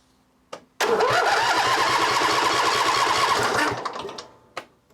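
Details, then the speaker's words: Cub Cadet LT1550 mower no-start: steady fast cranking without firing; water came out of the fuel line and the tank held about four gallons of water-contaminated fuel. "happens well that's what's happening there's water coming out of it well there you go we got a few things going on here"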